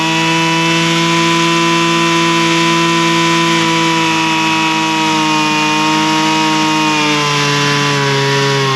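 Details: Husqvarna straight-shaft string trimmer, two-stroke, after carburetor high and low screw adjustment (likely long unused, diaphragm suspected snug); strong, even high buzz holding pitch throughout without hunting or bogging. Normal running.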